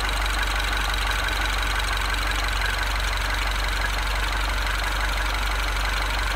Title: Bruit moteur